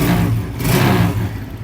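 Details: Motorcycle engine after replacing a broken centrifugal oil filter and leaking kick seal: revs up and settles back smoothly with a clean even note, no knocking or clatter; earlier engine noise gone, engine now healthy.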